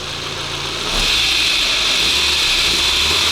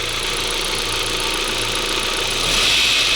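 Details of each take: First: 1998 Volkswagen Passat B5, 479,000 km, engine warming up before oil change: steady, even idle with one brief rev rise settling smoothly back; normal warm-up idle. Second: 1998 Volkswagen Passat B5, about 480,000 km, idle on first start after oil change with Polytron added: fast light metallic rattle from front of engine, timing chain area; owner hopes it may disappear after driving.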